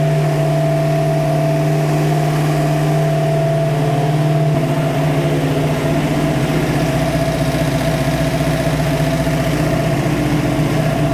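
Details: Freshly built 347 stroker V8 in a 1966 Mustang Fastback (T5) on its first start holds a high, hurried idle with a steady drone that never drops. The idle speed needs setting down at the carb throttle/idle screws.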